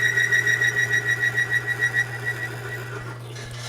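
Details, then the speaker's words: Lubricity test machine with Die Lube 2000 spray on an already galled, bound-up surface: steady low hum under a pulsing squeal, about three pulses a second, fading. Chatter from prior galling damage. "it's sprayed onto what's already been galled up and bound up it's already chattering because of all that sound from before"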